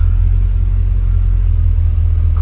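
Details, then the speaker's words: Car with its original Quadrajet 1708 carburetor, remanufactured and refitted, curb idle screw adjusted, coolant about 190–195°F: deep, steady V8 burble at about 800 rpm, even firing, no misses or knocks; runs well. "I said the idle right now it's about it's at about 800 RPM"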